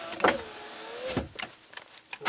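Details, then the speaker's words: 2003 Chevy Silverado 1500HD passenger window after replugging the passenger door module, which brought it back to life (poor pin contact suspected): a short, smooth motor whine ending in a soft clunk with door clicks; normal operation. "I plugged the D or passenger door module back in and everything came back to life courtesy light I can control the window no issues there"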